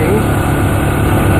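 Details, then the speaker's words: ATV/UTV after full oil service, front diff seal and drive belt replacement, test ride on a windy day: steady engine drone, no knocking, rattling or belt slap, smooth and quiet; normal running. "uh this thing runs extremely well. Super smooth, nice and quiet."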